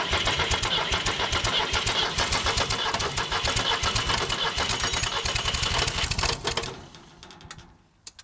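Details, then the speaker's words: Ford 1910 diesel tractor with three glow plugs, hard-start complaint, cold start; steady rapid firing about four beats a second, catches and runs cleanly, starting better than expected before shutdown. "that's starting better than I thought"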